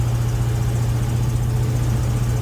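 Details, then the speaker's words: 1974 GMC Suburban V8: fast, steady idle with a constant deep drone and no hunting, well above normal speed; owner suspects ignition timing and plans to adjust the distributor with a timing light. "really gotta do some adjustment to the idle it's got high idle going on i think i gotta adjust the timing"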